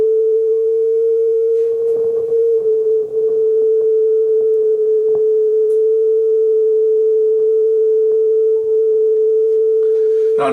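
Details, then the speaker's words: Marantz 5030 cassette deck playing a test tone: clean, steady tone sitting slightly off pitch; tape speed a little off and flutter higher than ideal, before speed adjustment. "Flutter is a little higher than I'd like to hear it. That's for sure. Speed is a little bit off."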